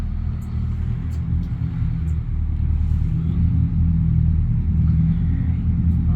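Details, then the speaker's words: Boat diesel engine after a fuel problem, algae clogging, was blown out: steady, even low rumble at idle with no misses, knocks or surging; engine running well now. "It sounds like it. It sounds like it's running well now."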